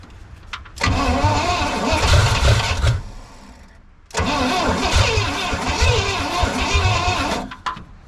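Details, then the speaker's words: 1969 Pontiac Bonneville 428 wagon, sitting since 1981, cranked with fuel poured into the carb bowl, choke propped open and points powered: two long, slow cranking bursts with an uneven chug and occasional hits, never catching; intermittent firing. "Okay, power to the points. Nice big drink. Let's try it. It's starting to hit."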